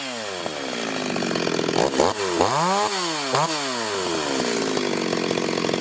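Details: Ported Stihl 026 chainsaw making shakedown cuts in hard wood: a crisp high two-stroke scream that bogs a little in the wood and snaps back clean on each pass. Healthy saw cutting well.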